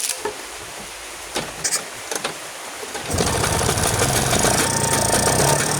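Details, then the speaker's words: Vespa two-stroke scooter restarted after clearing flooding with plug out and carburetor setting; a few quiet clicks, then it catches and settles into a steady buzzy run with no stumbling, left running to check it no longer floods. "oke itu sudah kita hidupkan ya sekarang untuk pengetes an karbune masih banjiran apa enggak kita tunggu beberapa saat ya"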